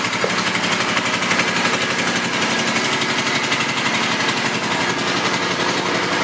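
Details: 2005 Suzuki Boulevard M50 with stock pipes, 17,408 miles: steady, even V-twin idle with quick, regular exhaust pulse and no knocks or misses; runs healthy.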